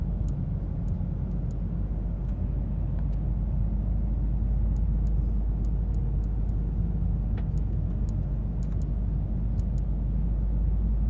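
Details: Mazda 3: light, sharp ticks at an uneven pace, a couple each second, over a low steady cabin rumble, source not pinned down; clicking noise.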